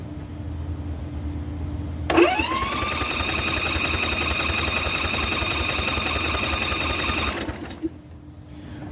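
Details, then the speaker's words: Dixie Chopper zero-turn mower with a 60-inch deck that bogs down and stalls under load, firing on only one cylinder. During a compression test on that good cylinder, the starter spins freely with an even beat. It reads only 25–40 psi against a 60–90 psi spec. "we're getting about 35 pounds of pressure and this thing should have anywhere from 60 to 90 pounds"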